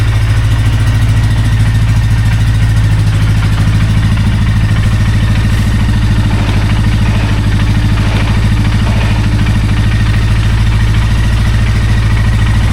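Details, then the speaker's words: 2001 Polaris Sportsman 400 ATV during restoration, after valve-gap adjustment, pull-start and Bendix spring repair, started on choke with idle being adjusted. Steady low thrumming idle at about 3.5 pulses/s with no misses or knocks: normal idle. "So, as you can hear, just adjust the idle a little bit. Everything's working."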